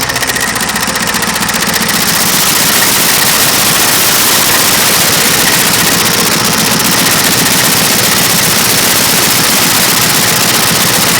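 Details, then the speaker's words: Yard wrecker engine: loud, rough running with a heavy, fairly regular knock about two and a half times a second; the louder knock is new and it sounds like something is trying to fall off. Engine knock. "Sure sounds like something's trying to fall off or something. Because that louder knock that you hear, that's new. It doesn't sound good."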